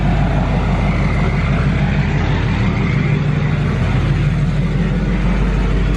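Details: Duramax LML diesel with a fresh long block, held at a constant 2,000 rpm fast idle outdoors during a 5-minute break-in cycle: steady, even drone with no knocks or misses, and no big puddles. Normal running at fast idle.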